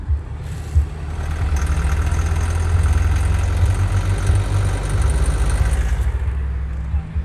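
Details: 1983/84 Chevrolet Chevette petrol engine: dry crackling rattle only under full throttle at low rpm while moving; none with gentle throttle or when revved hard in neutral.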